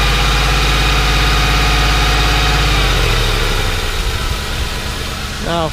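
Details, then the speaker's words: Ford Crown Victoria after removing and cleaning a dirty idle air control valve; steady, even idle without hunting or surging, earlier noise gone; normal idle, clogged IAC believed cause. "don't know if you guys can hear but it's not doing it now so I think my idle air control just a little clogged up"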